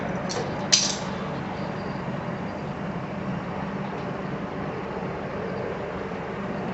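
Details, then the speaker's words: Small lawn mower engine after replacing the failed Tecumseh carburetor: brief click, then a steady, even engine hum without surging or misses; runs smoothly after the repair. "That's wonderful. Less than $20 fix."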